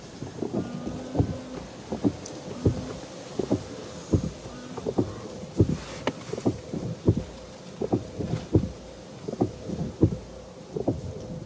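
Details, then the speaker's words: 2009 Renault Grand Scenic III windscreen wipers after the nearly new matched-pair blades were swapped sides; they sweep quietly with a soft, even thump at each reversal, no squeak or judder, though one blade nearly touches the windscreen edge. "nothing nothing silence is golden so are they meant to be like that all the time or this is a normal this is a normal sound having these right round the other way"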